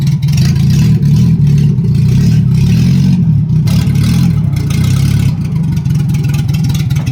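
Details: Nissan 1400 cold start after a new exhaust was fitted: a loud, raw, blatting rumble; the exhaust snapped off right under the branch of the new flange, causing an exhaust leak.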